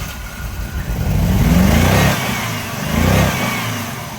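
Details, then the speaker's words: 2005 Jeep Liberty started with a jump box: uneven revving with a lumpy, stumbling exhaust beat that never settles; running very rough but able to move forward and backward, cause unknown. "start it up with a jump running very rough able to move it forward and backward"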